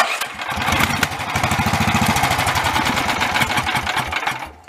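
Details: Greyhound 11 HP Lifan Honda-clone single-cylinder after carburetor clean and enlarged main and low-speed jets, key start: catches quickly, quick even thump, then shut off; runs healthy.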